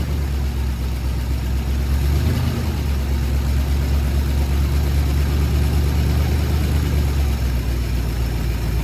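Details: Ford Sunliner on its first run after a new starter, carb cleaning and float adjustment: deep, loose idle with a faint irregular puffing chuff about twice a second. A really bad exhaust leak is marked by black soot, to be sealed with high-temp gasket maker.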